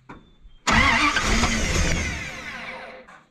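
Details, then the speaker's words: Dodge W300 dump truck (carbureted, sat a year) cranked briefly with fuel line off the carb to test the fuel pump; steady starter cranking, no fire. Crank no start; pump turned out fine, owner suspects carburetor clog or stuck float. "I took the line off there on the carb I'm going to crank it over real fast tell me if stuff's coming out of that see if this fuel pump is doing anything"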